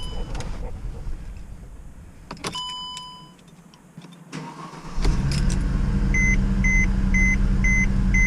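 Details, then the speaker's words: 2009 Mercedes-Benz C350 after fixing the coolant temperature sensor issue (sensor not replaced): steady even idle, low smooth hum, chime beeps, fan no longer on; check engine code still shown but running better. "the codes still on you can see down there but it's obviously running better and the fans not kicking on"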